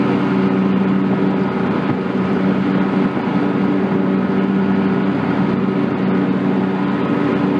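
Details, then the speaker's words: John Deere X300 rider with Kawasaki FH-series engine, 17 hours, after fixing a no-start/runs-and-dies fault from a stuck fuel shutoff solenoid; steady, even drone at good throttle with the clutch engaged, no misses or surging, running normally. "let's just verify everything's working got good throttle just pop the clutch on"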